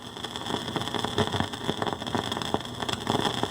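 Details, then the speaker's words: Fisher 400 tube receiver with fresh output tubes, one side's plate voltage fluctuating instead of a steady 420 V: irregular sharp crackling and popping over a low steady hum, easing when output tubes are pulled; the output transformer is dead. "that crackling here let's turn that off there and if I remove one output tube it goes down a little bit if I remove both output tubes goes away if I take the load away from the transformer it goes bye-bye so that transformer is dead"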